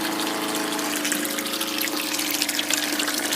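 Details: Small water pump on a solar shed system after an MPPT charge controller upgrade and repair, running with 7.5 A fuse not blowing; steady unbroken hum with water rushing through, no labouring, pump running freely.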